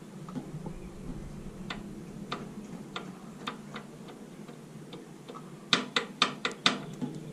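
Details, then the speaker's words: EB three-cylinder engine with high oil consumption: uneven ticking knocks at about two per second, also heard on low-rpm acceleration. The block is finished. "Donc pour ceux qui se plaignent de forte consommation d'huile et puis ce bruit on le retrouve aussi à l'accélération à bas régime."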